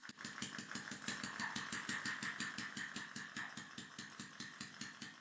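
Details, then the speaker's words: Homemade air motor driven by water-tank pressure from an attic reservoir, after sanding cylinder friction points and aligning the membrane: rapid even ticking, five to six beats a second, over a thin hiss; runs smoother but overspeeds and is starved of air. "Et maintenant, le moteur tourne beaucoup plus doucement. Mais il tourne beaucoup plus vite qu'il ne le devrait, et il manque d'air."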